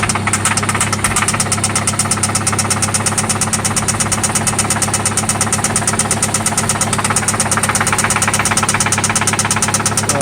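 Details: 1995 Toyota Celica ST idling after an oil change and spark plug replacement: a loud, sharp, regular tapping, about two per second, that does not let up; it seems to come from one spot, and its cause is unknown.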